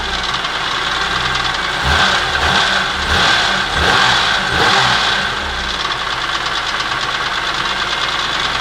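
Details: BMW E46 M3 petrol straight-six idling with a busy metallic rattle of unclear source, heard since installing a used block with the original head, VANOS and cams after a broken rod and piston left debris in the engine; cause unknown.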